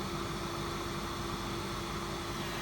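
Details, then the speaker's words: Chinese copy diesel parking heater in a camping case, brand new, set to 1.9 pulses per second, during the starter procedure while waiting for the glow plug: an even whirring hum of the intake fan over soft rushing air. Normal intake fan startup. "the intake fan we'll give this a minute to go through its starter procedure"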